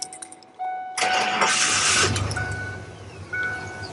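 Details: 1994 Ford Econoline E150 with a no-crank-when-warm complaint, being checked with a scope: short cranking, then the engine catches cleanly and settles into an even, steady idle; normal start.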